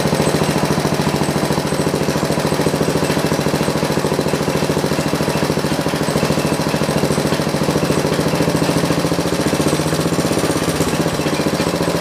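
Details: John Deere 112 round fender tractor with a Kohler K181 single-cylinder and a new carburetor: a steady chug of about 3.5 beats a second that never climbs. The engine won't throttle up before the governor and throttle assembly are adjusted.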